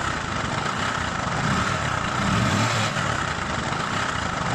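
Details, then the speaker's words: Bajaj Discover motorcycle engine idling with a loud, busy metallic rattle from the top end; slack timing chain found under the head cover. "अभी आपने सुना इसके engine से कितनी बुरी आवाज आ रही है"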